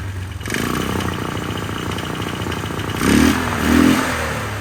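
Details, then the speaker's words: 1999 Polaris Sportsman 500 single, first start after fuel pump replacement, tank temporarily fitted, airbox off: uneven clattery running with surging revs, no settled beat; rough running, carburetor to be tweaked. "running not running smooth as I like to see it let me tweak on the carburetor a little bit and get back and see if I can figure this out"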